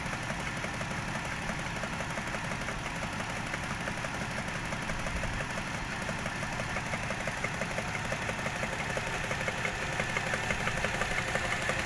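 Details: Toyota 1JZ-GE engine at steady idle with a light regular tapping, about three per second, over the engine hum; knock cause unconfirmed, people advise checking camshaft bolt torque.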